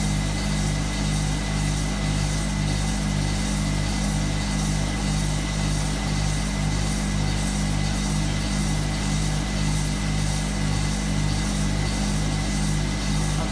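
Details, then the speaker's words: Hotpoint Supermatic De Luxe 9414 twin tub spin dryer, new belt fitted so it is much faster and smoother: steady even hum with a light regular tick about twice a second, no rubbing or slapping; normal spin. "it's so much faster now I put the new belt on it and Luke would need for them who found so much smoother"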